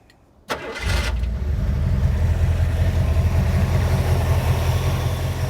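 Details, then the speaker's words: 1977 Jeep CJ-7 with 5.9 L 360 V8 from a 1978 Wagoneer, few-years-old Holley 4-barrel carburetor: brief crank, catches quickly and settles into a strong even idle with no knocks or misses; healthy engine. "That Holley 4-barrel carburetor, we did replace that, so that's a few years old, but the engine is just absolutely running amazing right now. So crank it up and let you hear it."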